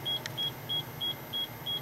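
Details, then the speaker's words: HydroKnowz hydrogen sensor monitoring a vented box of 48 V lead acid batteries on charge: short high-pitched beeps about three a second over a quiet hum, stopping as hydrogen level falls; hydrogen gas alarm. "And that might be because Nope, it's coming down. And now you just heard the alarm just quit."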